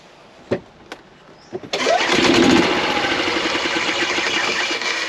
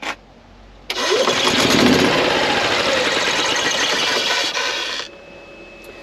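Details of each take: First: 2016 Yamaha petrol golf cart after replacing weak battery (low voltage caused slow, intermittent starting): a few clicks, short crank, fires straight away and settles into steady run; starts normally. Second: Sluggish, labouring crank of about four turns a second for four seconds with no catch on a 2016 Yamaha petrol golf cart that starts slowly or sometimes not at all; battery drops to 8–10 V under load, so it is the weak battery.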